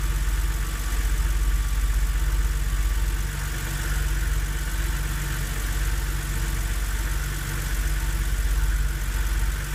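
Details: BMW Z4 3.0si petrol six cold start: steady idle with quick even knocking tick through low hum, loud and unpleasant, disappearing after about 15 minutes of driving.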